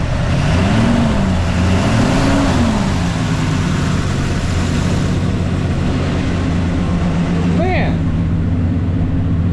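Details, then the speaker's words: Chevelle small-block V8 first start, timing and fueling untouched: steady even idle with deep low rumble, no knocks, ticks or misses; runs healthy. "but it does the thing it's a it runs and it sounds [ __ ] good haven't messed with timing haven't messed with fueling nothing and she runs"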